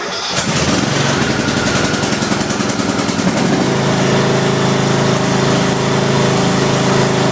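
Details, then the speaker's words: Craftsman YTS 3000 tractor, cold start on choke after sitting about two weeks without touching the battery: brief crank, catches at once and settles into an even, steady single-cylinder idle; a healthy cold start. "that started right up that's going to sit in foam what about two weeks think it hasn't been started in two weeks"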